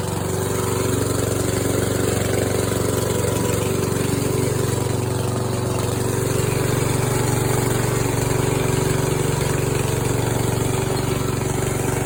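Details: Scrapyard Yard Machines tractor, 14 hp single-cylinder engine, after fitting a homemade steel flywheel key: steady, even idle at about three beats per second with no knocks or misses; normal idle.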